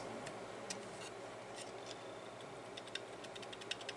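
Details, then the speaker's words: Rattling hard drive opened up: faint uneven light ticks and rattles over a quiet spinning hum from the head assembly, which has a lot of slack; not fixable, drive still works. "so that's what's actually uh doing the rattling well now we know but there's nothing we can do about that"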